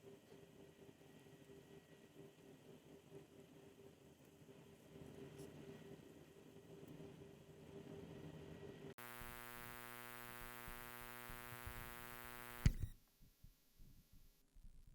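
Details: Google Pixel 6 30W charger, recorded close with a Shure SM58: thin electrical buzz that swells and fades in waves while charging; persists across cables and outlets, so the charger itself is the source.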